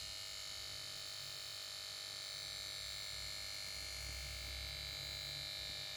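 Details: Samsung PS42A410C1XBT plasma TV that won't start: it goes to standby and plays its melody at switch-on, then the power board gives a steady high-pitched electrical buzz with several fixed tones.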